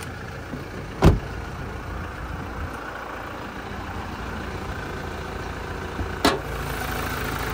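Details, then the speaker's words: 2019 Toyota Prado GXL diesel, serviced at 63,000 km, heard under the open bonnet: low steady idle with even beat and no knocks, rattles or squeals; healthy, aside from a couple of door clicks. "as we listen to it run no knocks rattles or squeels just that diesel motor taking over nicely"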